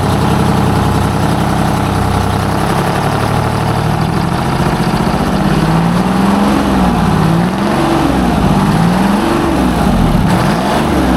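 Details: Junkyard 12-cylinder semi truck after fixing diagnosed low fuel pressure (new fuel filters filled, primary fuel line replaced); it had been missing before: strong, steady rumble through rising and falling revs; normal running, firing on all 12.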